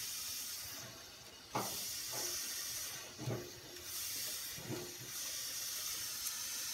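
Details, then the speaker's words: Wolfgang Puck pressure oven in pressure mode roasting a 5–6 lb chicken at 450 for 40 minutes. Continuous high steam hiss with handling clunks; the pressure vent isn't fully closed to seal and is bleeding steam. "So I'm going to do what the guy said, which means it's not closed all the way, the vent."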